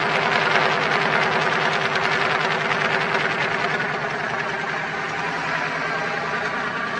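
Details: Twin-turbo Dodge truck, started on a freshly charged battery after all vacuum lines were replaced to fix a driver-side leak from turbo to wastegate, not yet tuned: an even, regular idle pulse under a steady hiss, with no knocks or stumbles. Idles smoothly. Exhaust wrap is burning off.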